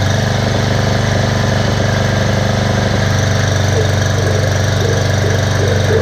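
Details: Bear Cat chipper/shredder after repair (belt, knives, screen, spark plug, mouse nest cleaned out): rotor spinning, steady even engine drone with smooth rotor hum, no wobble, knock or rattle; sounds well balanced; normal running.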